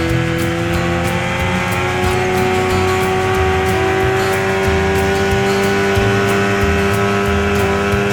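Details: 1989 Evinrude 25 hp longshaft remote outboard, carburetor swapped, prop suspected spinning out while trying to plane; steady high drone with fast irregular rattle and flutter, an odd new running noise, source unclear.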